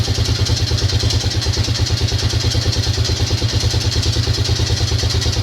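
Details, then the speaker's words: Yamaha Grizzly 600 ATV idling, engine previously apart by someone else (two gaskets found); steady idle with clattering knock on every firing pulse, about three a second, source unconfirmed and owner asking what it is. "comment down below if you got a you know you've got experience with these things what you think that noise is cuz I I know that somebody's had somebody's had the engine apart"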